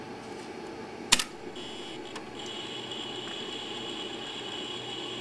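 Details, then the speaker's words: Imation LS120 120MB SuperDisk drive taking a disk reformatted as Mac OS Extended Journaled: a sharp click as the disk seats, then a steady high whine as it spins up, a bit louder than a floppy; normal load. "you can hear these super disks do make a bit more noise but that's fine and here we go it appears here just as it would"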